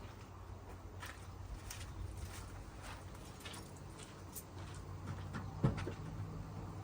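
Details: 1981 Dodge Ram 350 carbureted V8 with Edelbrock 600 CFM carburetor, after blowing out the idle circuit with compressed air and resetting idle screws: low, even rumble with steady beat, no stumbles; now idling smoothly.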